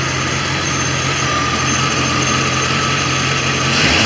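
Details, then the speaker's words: 1989 Corvette roadster after ignition module replacement and Bosch III injector install, runs much smoother; still low on coolant with a suspected air bubble: even, steady idle hum with a smooth low pulse, no stumbling or misfire; normal idle. "now I'm sure there are more problems to come but it run so much smoother"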